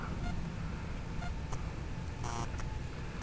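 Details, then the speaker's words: Blade 180 CFX RC helicopter with 5100 KV motor and Castle ESC, after a 3-minute flight: short pair of high beeps over outdoor rumble; ESC double warning beep, overheat tones noted late in the flight, cooling down to check. "just let this cool off for just a little second hair and see what happens if that castle stops that double beep"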